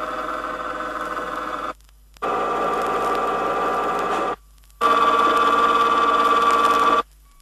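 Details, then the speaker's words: Rear axle hypoid gears, progression as pinion moves out 0.002 inch at a time, demo not as heard in a car; three runs of steady high whine, each louder and harsher, axle noise from improper pinion depth. "I think it should be stressed that these gear sounds are not exactly the same as the sounds that would be heard inside a car they merely demonstrate how improper pinion depth setting will create axle noise is"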